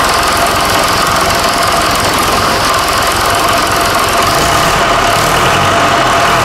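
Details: Fordson Super Major tractor, bought seized as a non-runner, first start after an engine swap: loud, even diesel clatter with a steady beat, no misses or odd knocks; normal diesel running.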